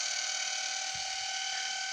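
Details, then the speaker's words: Lathe toolpost spindle on a signal generator, mid frequency range, up to 2200 rpm, 27% torque, no load, running in bearings: steady high even-pitched whine from the toothed belts, normal belt noise. "the sound you can hear is that of the hdd belts those are usually quite noisy but i mean don't care much"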